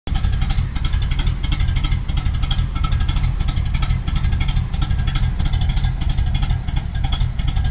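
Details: 1986 Firebird with swapped Pontiac 400 V8 and TH400, not cammed. Heavy, loping idle with uneven stumbling pulses about one per second. Very rough idle; owner guesses the fuel pump or filter is starting to fail, not confirmed.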